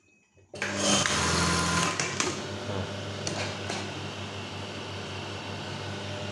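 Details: Brother 814 machine: quick even mechanical whir settling into steady chatter with no knocks or harsh clack; running normally.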